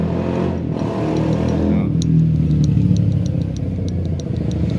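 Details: Rusi MP 110 motorcycle engine idling with a light, steady ticking rattle of about three knocks a second: worn, damaged clutch rubber damper, with a worn pressure plate; the rattle goes away once the engine is revved a little.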